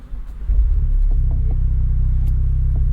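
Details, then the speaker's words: 2025 Ford Mustang EcoBoost Convertible with optional sport performance exhaust: engine catches at half a second and settles into a deep, steady, even rumbling drone, loud especially on cold start; normal start, just a loud exhaust. "This EcoBoost has the optional sport performance exhaust. And I would argue it doesn't sound great. It's mostly just this low rumbly drone that's particularly loud, especially when you cold start the car."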